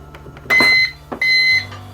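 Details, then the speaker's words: UPS battery backup after battery replacement, unplugged from AC and running on battery: two sharp high beeps with a faint buzz between, output holding rated voltage; normal on-battery alarm. "wow that's held the the rated voltage pretty well you can hear it buzzing so it's definitely working well"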